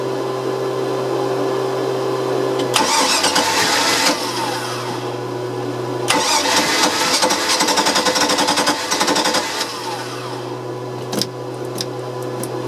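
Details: OMC 5L boat engine, fuel inlet hose fed from a jar of gas to rule out tank restriction, cranks and briefly catches, then stalls immediately, twice; cause still being diagnosed.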